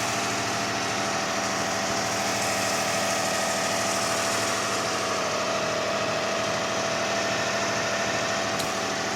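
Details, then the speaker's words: 2005 Kia Sedona 3.5L at 116,000, cold startup idle after a new timing belt, tensioner, idler, auto tensioner, water pump and harmonic balancer, with no accessory belts fitted: steady, smooth hum with no ticking or knocking. "Absolutely quiet at startup. I mean, listen to it. This sounds beautiful. No ticking, no knocking, no nothing. Not a thing. Just running smooth."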